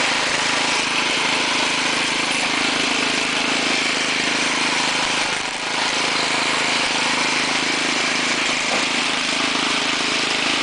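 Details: Ariens 6HP two-stage snowblower, trash-picked and stored in a garage: small engine runs smooth and steady with an even beat and no misses or knocks.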